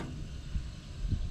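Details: ABS pump activated by wireless scan tool (IP819TP) for the rear right brake bleed, bleeder open, pedal not pressed, 4-second automatic cycle: low steady electric hum with faint pulsing; pump running normally during bleed.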